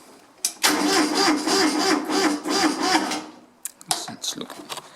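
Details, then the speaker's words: Kubota B7001 diesel tractor, unused two months, 10°C, after glow plugs; battery suspected weak. Starter drags the engine slowly, about three labored turns a second for under three seconds, then quits; slow cranking, hard cold start. "sounding a bit sad i'll probably just use the decompression lever to get a bit more spinning and then just drop it in"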